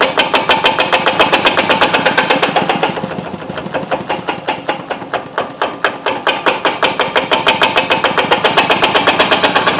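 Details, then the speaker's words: Kubota 508cc stationary diesel engine at cold start and low throttle, sitting bare on a concrete floor: a fast, busy clatter about four beats a second over a rough run. The engine is chattering against the concrete; owner plans rubber underneath. "so really doesn't like that concrete you can hear chatter i'm gonna put some some rubber stuff underneath it so it doesn't chatter"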